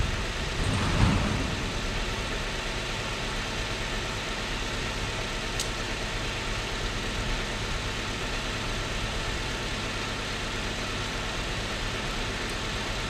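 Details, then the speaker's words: 2006 Chrysler 300 with suspected blown head gasket, after new coil pack: uneven idle with an irregular stumble and loping beat, still missing on a cylinder, not smoking; cause unconfirmed. "but it still sounds like crap oh it still sounds like it's missing it ain't smoking"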